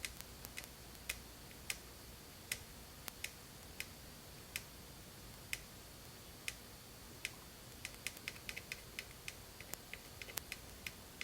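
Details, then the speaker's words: 1952 Guide Autronic-Eye vacuum-tube headlight dimmer for a 1953 GM car, vibrator has correct voltage but fails: scattered irregular sharp ticks, no steady buzz; the coil moves the reed but the contacts don't make to sustain running. "I think the coil is moving the uh read now but the contacts aren't making contact yet to keep it running"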